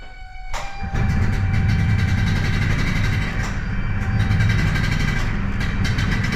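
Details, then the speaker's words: Yamaha G1 two-stroke golf cart after engine rebuild, started in reverse after unkinking fuel line: catches after brief crank, crisp even buzz with steady beat; running well. "sounds nice and Cris by he that that stroke that you know the crispy sound it sounds good"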